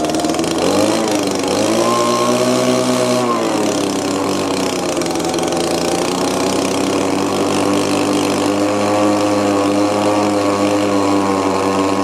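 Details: Old Echo two-stroke blower revs to a high steady scream and stays there without dropping to idle; adjusting the low and high air/fuel mix screws changes nothing, and it squeaks when it stops.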